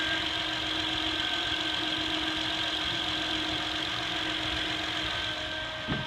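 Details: 2008 Honda Accord EX-L V6: steady high electrical whine over a quiet idle that holds its pitch; a bad diode in the alternator causes it.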